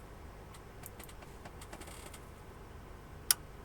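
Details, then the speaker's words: Sony XES-M1 car amplifier that smoked at power-on, after transistor and insulator replacement; near silence, then a crisp output relay click at switch-on; the amp works. "Voilà, il y a bien les claques qu'on entend bien les claques. Donc notre ampli fonctionne."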